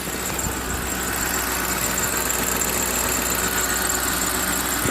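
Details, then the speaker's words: 2009–2012 Ford F-150 V8 after fixing a broken primary wire to coil D that caused a misfire: steady, even, smooth idle in gear with no stumbles, missing beats or surging; normal idle. "oh yeah it's nice and smooth now i can't believe all because of that broken wire"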